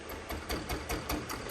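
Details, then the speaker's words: Mitsubishi Triton L200 / Toyota Hilux diesel, crank no start with code P0093, injector on bench tester: fast ticking chatter about five pulses a second with dull uneven note; nozzle clogged, to be serviced or replaced; one bad injector causes shaking. "في انسداد عنا يا اخواني يكون بالنزل هون ان شاء الله مع الصيانه يزبط"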